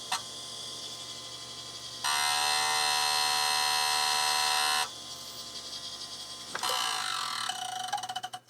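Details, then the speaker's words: Quantum SCSI hard drive from a Mac, at power-on: harsh electric buzz and loud steady high whine, trying but failing to spin up; stiction, heads stuck to the platter. "i hear trying it's trying to spin come on let's hit it making weird noises um that that is a hard drive that no longer works that's a very very unhappy unhappy hard drive"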